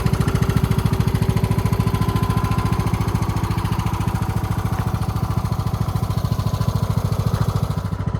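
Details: Husqvarna YTH20K46 with a replacement 20 hp Kohler Courage SV600 engine, test run with air filter off and a little fuel: even, steady thumping at about three and a half beats a second, no misses or knocks; runs smoothly, carburetor working well.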